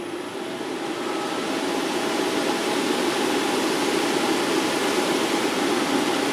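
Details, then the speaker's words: Double K Challengair 560 dog cage dryer, tested outdoors with a separate fan running nearby, before disassembly: steady, even rush of air on low and high with no grinding or squeal; heater works and blower motor bearings sound healthy. "so this one's good i didn't hear any bearing noise on this one either so that's good"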